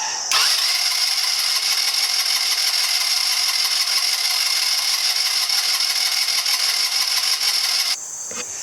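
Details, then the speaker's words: 2009 Genuine Buddy 125 scooter, full throttle with a little starter fluid sprayed in: catches and runs with fast high buzzy note for several seconds, then cuts out; starts only on starter fluid, owner suspects CDI. "Because now you heard it run. I mean, you heard it start up, so. With starter fluid, you heard it start up."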